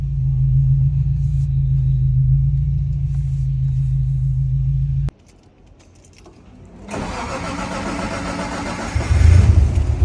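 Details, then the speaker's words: Nissan R34 Skyline, RB25DET NEO, stock internals, full bolt-ons, turbo, about 500HP build, first start after two years; deep idle cuts out, engine cranks, catches and settles to an even, slightly lumpy beat; normal idle. "Sounds so good. So nice, I can't believe it. Hearing it for the first time, it sounds so nice."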